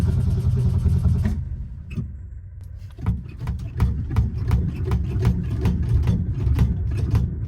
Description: It took a lot of pedal pumping to get the old Falcon started up, and once it started I gave it some good hard revving to clear it out.